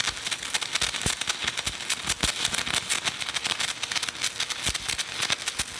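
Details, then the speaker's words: Hitbox TIG 200 stick welding a 7018 rod at 120 amps: steady crisp frying crackle with sharp irregular pops, even throughout, rod burning smoothly at the right heat; normal stick welding arc. "okay I bumped it up to 120 like I wrote down this is the 70 18"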